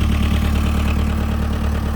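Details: 1998 JCB 208S (1CX) backhoe loader after rebuilding clogged injector pump and new ignition switch: steady, even diesel idle with a deep, regular thrum and no misses, knocks or hunting; healthy idle.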